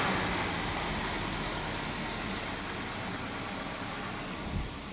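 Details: Volvo 740, cold engine: faint, uneven idle with loose irregular beat under hiss; always idles rough when cold started, dies when really cold, restarts fine; wet spark plugs noted, cause not pinned down.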